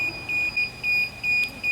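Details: DJI Phantom 4 drone remote controller, powered on indoors during DJI GO app setup, gives short high beeps in pairs, about two a second; the alarm sounds because the controller sticks have not yet been calibrated.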